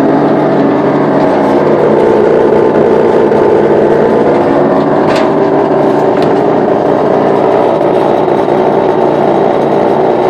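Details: Brand-new LG refrigerator LFC20786, just plugged in, making a loud steady rough drone like a motocross bike; cause unknown.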